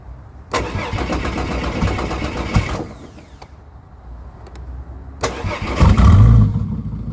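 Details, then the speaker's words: Ford AU Falcon turbo ute on a purchased flash tune, external battery jumped to the starter: engine catches, runs roughly about two seconds, then dies (also dies instantly on revving); owner suspects the tune or low fuel rail supply. "It will start or idle well, okay, for a few seconds and then it will just die."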